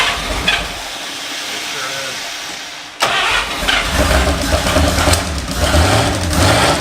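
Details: 1951/52 Buick Super straight-eight, abandoned for 40+ years, restarted after the fuel system was cleaned: catches about three seconds in and settles into a steady, even idle on all eight cylinders, with no misses or knocks.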